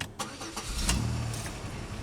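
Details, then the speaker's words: 2003 Pontiac Grand Am GT after fuel pressure regulator replacement, done for hard starts, rough idle and rich fuel trims: short crank, then it catches promptly and settles to a steady idle; normal start. "started pretty good hey there we go"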